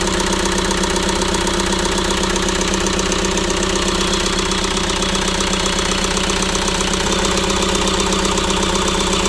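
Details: ~2006 JCB 180T compact track loader diesel running rough after swapping a suspect injector: uneven, lumpy idle beat that never settles, like a cylinder isn't firing; the problem did not follow the injector, so compression in that cylinder is tested next.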